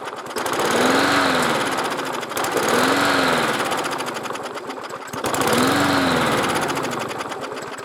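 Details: Lawn mower that won't stay running, three pulls: each speeds up with a rising tone then sags away within about two seconds; starts then stalls. Carburettor not drawing fuel enough, pulling air; priming helped.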